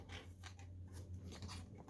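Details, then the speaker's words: Eufy 30C robot vacuum that spins in circles, wheel spun by hand with the unit open: gives short gritty crunching bursts instead of a quiet spin like the other side; broken gear teeth. "well this one here you can see it spins okay no sound this here is grinding"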